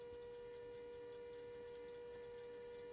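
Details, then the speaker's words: Bose Wave AWRC3G radio/CD player: a steady mid-pitched buzz with thin high overtones from one side only, with no bass at all; amplifier fault from liquid damage around the TL074C op-amp U600. "I've been shopping again bought some more junk so I got this uh Bose CD radio thingy apparently it makes a buzzing noise it certainly does that"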